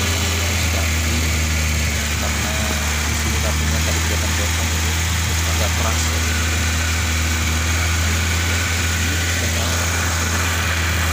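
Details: Peugeot 405 SRI after reconnecting a broken fuel pump wire that had caused a no-start; steady, even idle with a smooth low drone and no knocks, misses or surging. Normal idle.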